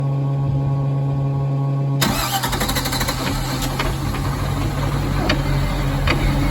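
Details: Chevrolet Malibu: starter whirs about two seconds, engine catches, then settles into an uneven, lumpy idle with a stumbling beat; rough idle.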